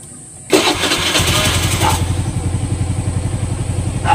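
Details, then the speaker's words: Suzuki SkyDrive Sports 115 motorcycle that was hard to start in the mornings, tested after fuel-tank and fuel-hose work. It catches almost immediately after a brief crank, then settles into a steady, even idle putter; it now starts easily. "Okay. Hindi na siya mahirap paandarin. Saglit na lang siya."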